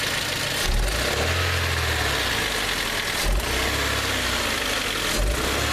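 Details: 2001 Hyundai Elantra, about 50K miles after last ownership, idling unevenly with a deep thump and lurch about every 2.5 seconds as the engine shakes; a misfiring cylinder, traced to worn spark plugs.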